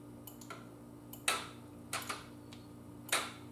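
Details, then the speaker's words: Yamaha Virago cafe build safety circuit, side stand up, shifting out of neutral: few crisp isolated clicks over quiet hum; safety relay switching normally, bike won't start in gear. "even with the side stand up it's not going to start because you can hear it as soon as i take it out of neutral you can hear that relay"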